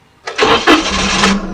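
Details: Daihatsu Ayla, check-engine and eco lights on before start: short crank, then catches cleanly and settles straight into a steady idle; normal, healthy start.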